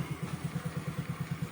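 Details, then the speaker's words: Honda Grazia scooter after self-start fix, new self relay fitted, self switch and brake switch wired directly: small engine putters evenly at idle after button start; starting circuit working. "మనకి అది ఎందుకు అవుతుంది అంటే మనం ఇక్కడ switch అనేది self switch direct చేసామో break switch కూడా డైరెక్ట్ చేసేసాం"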